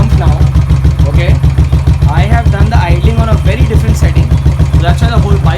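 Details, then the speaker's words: Royal Enfield Continental GT after a complete service, with the idle tuned to about 950 rpm because idle rises when the engine is hot; a slow, deep, even single-cylinder thump with steady beats, no misses, and the whole bike shaking; normal idle. "whole bike is shaking, because I've kept it on around 950 RPM. If you see, very precise. I have not kept it till 1000."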